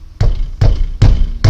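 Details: Peugeot 307 front end, microphone close to wheel while it is struck: dull single knocks about every 0.4 seconds, the clunk heard on cobblestone roads; caused by play in loose front brake caliper guide pins.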